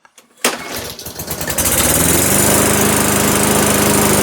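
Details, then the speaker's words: Self-propelled auction mower, started cold after a dozen primer presses: a few pulls, brief stumble, then a steady, even single-cylinder run. Healthy first start, drive working. "Well, I'm amazed. Oh, oh, oh. Oh, it's going. It is going. Do the drive work."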